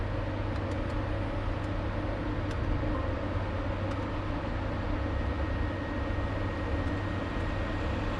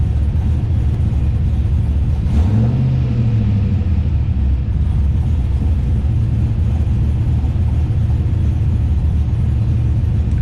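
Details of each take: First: LS-swapped Nissan 240SX on Holley Terminator X, hub dyno, after restoring idle startup airflow (IAC parked values): low, steady V8 rumble holding an even idle with no hunting or stumbling; acceptable idle. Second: LS-swapped Nissan 240SX on Holley Terminator X, hub dyno: throttle body stop screw backed out and cable adjusted, low lumpy idle wavers and nearly dies, barely starts; throttle closed too far.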